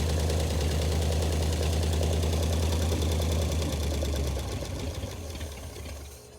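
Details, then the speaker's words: 1935 Ford coupe flathead V8, first run after 50 years parked, straight pipe with no muffler and half the pipe missing: even steady idle, regular beat, no misses, crisp throttle response, then shutdown; normal idle. "so this is what straight pipe sounds like when half the pipes missing nice Cris throttle response"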